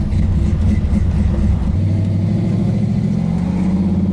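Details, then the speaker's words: Road Runner V8 idling at 180 on the temperature gauge on a hot day, after fitting a new radiator, fan and shroud to cure overheating: steady, even whoosh of the electric fans just switched on, no rattle, rub or wobble; normal fan operation. "fans just came on. Let's see what happens. 180 right now."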